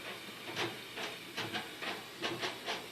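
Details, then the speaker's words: Three-day-old LG WT4870CW washer, about five loads in, on a normal hot wash about half full of regular clothes. Sharp squeaks come in uneven bursts about once a second as the agitator swings; suspension rods suspected. "I've done about five loads through it and it started squeaking bad sounds like it's coming from this corner that I can't tell but definitely has a lot of squeak in it now that never had few days ago it's weird listen to it squeaking everywhere it's on the wash"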